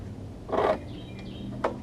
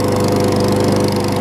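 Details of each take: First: Craftsman 21-inch self-propelled mower before repair, exhaust off due to stripped bolts, carb not yet cleaned: small single-cylinder engine catches with loud raw rapid bark for a few seconds then dies; open exhaust, no muffler. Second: Craftsman 21-inch self-propelled mower after repairs (replacement exhaust bolts, carb clean, safety cable zip-tie fix, key start removed): small single-cylinder engine holds steady speed, quick even beat, no misses; runs really well.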